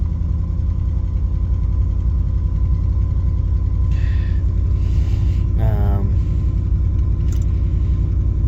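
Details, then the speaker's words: 1971 Lincoln Continental Mark III V8, just rebuilt with new pushrods, lifter, head gasket set, Edelbrock Performer intake, Street Demon 625 carb, timing chain, water pump and mechanical fuel pump: deep, slow loping idle, lazy rather than crisp; idle speed a little low. "The sure track light will actually turn off if we drive the car. And the idle seems to be a little on the low side today."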